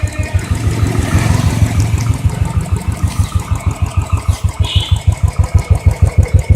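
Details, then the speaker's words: Royal Enfield Electra at about 550 km, just before first service, exhaust sound at idle: slow, even thump about three beats a second, no knocks or rattles; normal idle. "This is the sound which is coming from the exhaust before my first service."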